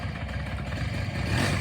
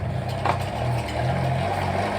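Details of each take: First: 1983 Honda PA50II 50cc two-stroke moped, first start in three years after looping the CDI wire to restore spark: quiet low putter picking up slightly, running steadily on its own; normal running. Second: 1983 Honda PA50ii 50cc two-stroke moped, unrun for years, start after cleaning gummed-up parts, filter and fuel reservoir: it catches and buzzes unevenly at full throttle, then sags and stalls. Starts but won't keep running.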